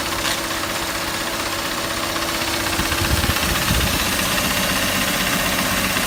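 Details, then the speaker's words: Mercedes W124 with new coils, NGK boots and wires, idling in reverse: uneven loping idle with irregular stumble two or three times a second and shaking; misfire traced to faulty ignition wiring harness. "Lastly, here's what it's like when I put it in gear. Reverse. You can hear the shaking."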